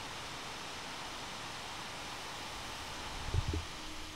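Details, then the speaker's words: One Mix 2S Yoga mini laptop under Prime95 CPU load, microphone near the fan: steady even whoosh with one brief bump near the end; fan at full speed, normal. "that's about as loud as it gets and I'm gonna just move the microphone a little bit so that you can hear it's not quite as loud when it's in front"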